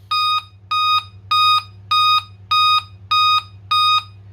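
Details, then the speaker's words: Dell Inspiron 3542 motherboard (Cedar Intel FX3MC) after PSL_OUT# bypass no-power fix, RAM installed, no display connected: seven even mid-pitched beeps about every 0.6 seconds; board posts but finds no display. "beeps attack එනවා කියලා කියන්නේ ඇත්තටම RAM එක initialize වෙලා DRAM preset එහෙම ඔක්කොම ගිහිල්ලා හරියටම CPU එක initialize වුණාම තමයි එයා check කරලා බලන්නේ display තියෙනවද නැද්ද කියලා. display එක නැති හින්දා තමයි ඔය beeps attack එන්නේ."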